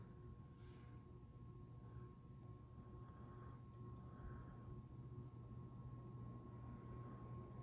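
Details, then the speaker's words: Casablanca Delta 1 ceiling fan on high: very faint steady low hum with soft airflow hiss, no clicks or wobble; borderline almost silent, running smoothly, judged bedroom-quiet. "It's like borderline to almost silent. I'd call it solidly bedroom, but that's my opinion."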